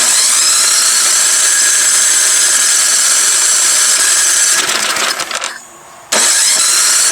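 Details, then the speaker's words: Old MTD Yard Machine snow blower, unused about 1.5 years, electric starter run off an extension cord. The starter whirs steadily but the engine never fires, stops, then cranks again; the cylinder is found extremely flooded with fuel (Champion plug). "See's a little bit flooded. Let me pop the spark plug out. So, it's extremely flooded. Extremely flooded."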